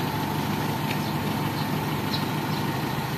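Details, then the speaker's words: Toyota 4K engine after timing chain replacement: smooth, steady idle with a low even hum and no rattle or slapping from the timing side; the earlier timing chain noise is gone; normal idle. "Yan oh, ayos na mga kabumrom. Wala na yung ingay yung timing chill."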